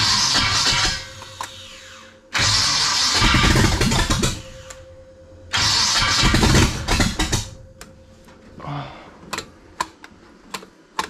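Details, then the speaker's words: 1956 Chevy wagon big block, first start after sitting for years: harsh, gritty grinding bursts on each crank with the engine catching briefly between them. The starter is not shimmed right; a loose downpipe is also suspected of banging. "the starter is not the happy but it runs all right"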